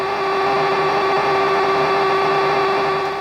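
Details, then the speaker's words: Guitar pedal with the effect switched on, guitar volume down and amp turned up: a steady fuzzy buzzing drone at a fixed tone. This is mains hum coming from the pedal, and it disappears when the effect is turned off. "sort of like a fuzzy sort of drone noise um yeah that's the that's the main time and I don't even have the Vol the volume on the guitar turned on at all so uh it's coming from the effect"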